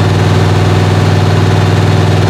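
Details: 1977 Malibu V8 at high idle for cam break-in, head temperature around 150–180 while warming; smooth, even high idle with a firm steady rumble and no ticks or knocks; sounds healthy.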